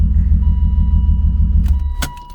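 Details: BMW E36 convertible, after swapping in new harness, cylinder 6 suspected: uneven, stumbling low idle with lumpy pulse before shutdown; misfire persists, harness not the cause, compression test next.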